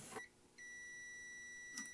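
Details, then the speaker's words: Fuse continuity check on a rescued Macintosh Classic with a suspected bad analog board: a clean, steady high beep holds about 1.5 seconds after the probes touch, so the fuse is good. "yep it's got a good fuse"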